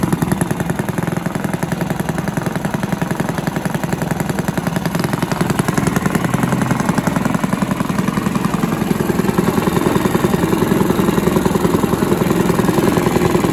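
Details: Villiers 10 petrol engine on an old Barford cement mixer, no choke, single-cylinder chugging evenly about 210 beats a minute, no misfires or clatter; compression not excellent, fuel seems to run through even with tap off; normal running.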